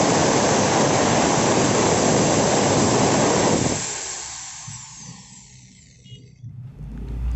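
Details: Bosch GWS 7-100 angle grinder that was totally dead, test run after carbon brush replacement: steady high-pitched motor whine, even and smooth, winding down cleanly after switch-off; running normally.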